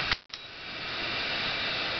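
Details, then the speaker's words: Chennic DC-to-DC converter in an electric vehicle, replacing a Vicor MegaPAC, under test load: after a click, a steady bubbling hiss rises and holds; odd hiss under load, normality unknown. "and one thing you may notice is the sound look how it's hissing"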